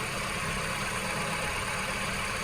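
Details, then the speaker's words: Peugeot 308 1.6 VTi 120 hp petrol (EP6) at 87,000 km, after replacing whistling worn water pump: smooth quiet idle, even hum and light hiss, no whistle or squeal; engine healthy. "voilà les travaux sont terminés la pompe à eau est bien été changée"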